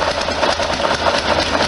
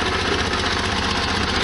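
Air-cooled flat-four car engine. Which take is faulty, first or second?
first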